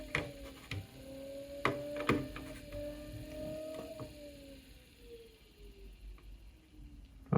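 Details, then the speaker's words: Akai GX-75 MK2 cassette deck tape transport, unserviced about 20 years: steady motor tone sags and slides downward after clicks and small bumps. Erratic tape speed; potentiometer suspected, not confirmed. "oh you can hear it it it is it started to go nuts again yeah yeah so there is definitely problem with with this potentiometer yeah okay you see just a small bump and it starts to go"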